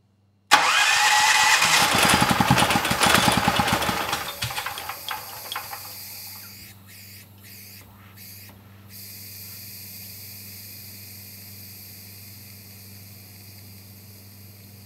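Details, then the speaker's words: Gentron GG10020 10000 W generator: cranks with loud pulses, briefly starts then stalls, followed by steady hiss from exhaust building pressure; suspected obstructed spark arrestor. "I hope you heard that it's definitely building pressure and I even saw some carbon coming out now the engine it did try to start again I didn't shut it down it just kind of stalled out"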